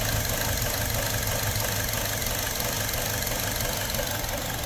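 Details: 2017 Buick Encore with check engine light, surging and traction/StabiliTrak lights: lumpy, wavering rough idle that worsens; parts store blamed oxygen sensor, but vacuum leak from faulty valve cover suspected and checked.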